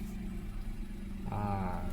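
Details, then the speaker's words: Perodua Axia 2024 after replacing its two-year-old weak battery with a new Century Marathoner Max NS40: starts first try and settles into a smooth, even low-hum idle with no stumbling or rattles. "Okey guys, dengan sekali start dia terus hidup."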